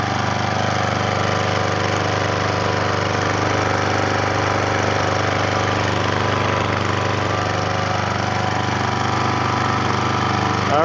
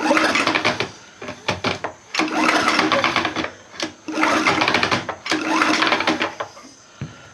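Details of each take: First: Troy-Bilt Professional pressure washer after the repair, quiet-design large muffler: even, muffled single-cylinder thrum at constant speed, no knocks, rattles or hunting. Healthy running. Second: Troy-Bilt Professional pressure washer engine with the air cleaner off, rope pulls: airy whooshing bursts blowing back through the intake, no firm compression. Owner suspects a stripped or broken plastic cam gear in the crankcase causing a timing issue.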